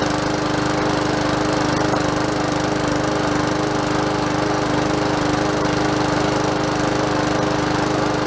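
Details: Free curbside MTD push mower, rope hard to pull (owner suspected hydro-lock), after fresh oil and cleaned tank with fresh gas: fast, even beat with steady drone, no misses or rattles; runs properly.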